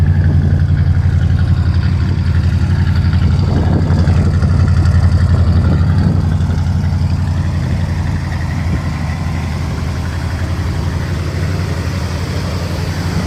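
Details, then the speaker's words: Car before teardown, not yet warmed up: low steady idle with an uneven pulse and occasional stumble, a miss present at idle but unnoticeable under heavy throttle; misfire at idle. "I don't know if you can hear that but one of the reasons I'll be doing a lot of work on this thing is the engine's got a miss odd because it's very present at idle even when the joke's on or off but under heavy throttle you don't even notice it"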